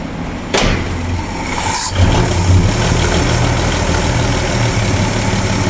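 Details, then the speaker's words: 1961 Ford F250 with rebuilt six, believed to be a 223, first start; steady even idle, smooth low rumble, no knocks, timing sounds close, a belt possibly a little loose; normal idle. "what a happy dance doing pretty good sweet Mama sounds good yeah it does"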